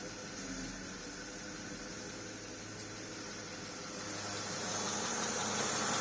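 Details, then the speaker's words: Porsche Cayenne S after replacing a leaking steering rack and bleeding air from the system: soft even idle with light hiss while steering turned, no pump whine or groan; power steering now quiet. "okay just started up now cars running now i can turn the steering wheel no noise"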